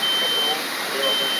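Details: Fire department sprinkler demonstration: shrill smoke alarm beeps, about half a second on and half off, repeating steadily; smoke detectors keep sounding.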